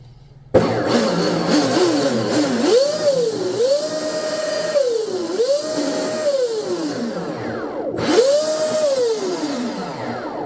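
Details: MHZ 57" catamaran bench test, TP 5670 785kv motors with MHZ drives and flex cables. Whine sweeps smoothly through throttle blips with no grinding or rattle; the drive line runs clean, with stuffing tubes about 85°F and drives ice cold.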